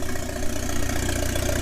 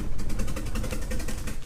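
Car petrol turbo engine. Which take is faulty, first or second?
second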